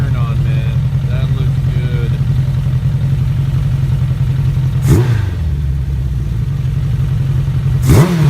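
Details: 2001 Suzuki Bandit 1200S four-cylinder after carb sync with a vacuum gauge kit: deep, even idle with two crisp throttle blips rising and settling cleanly; carbs in balance, bike sounds mean now.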